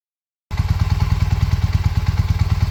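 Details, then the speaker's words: 1981 Honda CM400, running after sitting about 20 years: even, steady low thump of the twin idling cleanly, regular pulses, no knocks or misses; pulls great, some early popping and banging on the ride. "But yeah, other than that, it pulls great, runs great."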